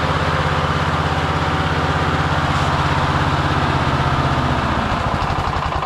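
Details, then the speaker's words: Victa Briggs & Stratton push mower, sitting about two years, just started, lever broken: slightly lumpy low putter at idle, smothered and not clearing; owner thinks it sounds like the choke is on, possibly running rich. "All right. It just like sounds like it's got a choke on or something."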